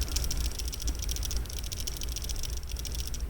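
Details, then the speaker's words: Pagani Design PD1716 watch bracelet worn on the wrist: fast, light metallic clicking as the wrist moves, from end links not sitting tight enough against the case. "So when you're wearing it and you're just moving your wrist around, you can hear it kind of rattling, and that's these end links here not quite sitting tight enough in there."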